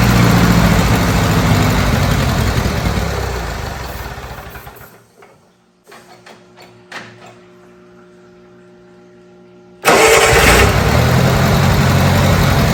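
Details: Old Bobcat 610 skid steer, Wisconsin petrol engine, old updraft carburetor, fed ethanol-free 90 octane from a jug, started with starting fluid: runs rough, winds down and dies, silence with clicks, then fires again; runs only almost fully choked, dies on throttle. Cause unconfirmed.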